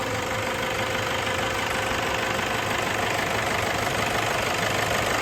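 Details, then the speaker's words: Toyota Hilux 2KD diesel idling after a full overhaul, now starting easily after it previously would not start; steady, even idle with the usual light clatter and no knocks or misses; running healthy. "Ini mesinnya sudah mudah hidupnya ya. E Toyota Hum ini. Jadi kemarin ee total enggak bisa hidup."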